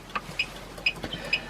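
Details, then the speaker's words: Casita RV trailer, battery removed, Parallax 7355 converter putting out only 3–6 V: roof fan and 12 V devices emit short high-pitched chirps, two or three a second, from insufficient voltage. "going to hear the fan up on the roof start chirping, and that's because the battery is taken out. There's no battery supplying power. There's not enough power going to these devices."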